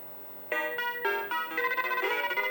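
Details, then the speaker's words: Mappy arcade PCB with questionable old RAM in 3L and good 2148 RAM in 3K: clean chiming game tune, crisp notes, no crackle or scratchiness; sound working. "Obviously the questionable ones in 3L doesn't impact anything. It sounds great."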